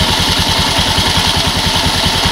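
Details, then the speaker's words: Scoopy automatic scooter idling after a crankshaft seal and roller housing replacement: even single-cylinder thumping with a loud dry hiss and rasp from the CVT. The drive belt's outer side is sanded with the engine running to reduce belt noise. "Oke, jadi ini tujuannya untuk mengurangi sedikit kebisingan di bagian beltingnya."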